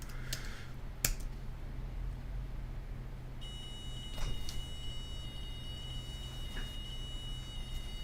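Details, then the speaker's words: Multi-board test jig V2 main board on a Raspberry Pi: thin, steady high beep barely above room hum, far too quiet; buzzer driven by Pi PWM, suspected underdriven, not confirmed; weak buzzer beep. "sound is terrible right so we can't find the eprom can you hear the sound it's not very loud but it's working"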